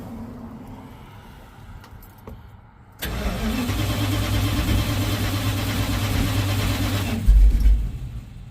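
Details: 1970 Dodge D100 with Holley Street Dominator intake, jumper wire to coil positive: starter grinds at about four beats a second for four seconds, never fires; cranks but won't start, ballast resistor suspected.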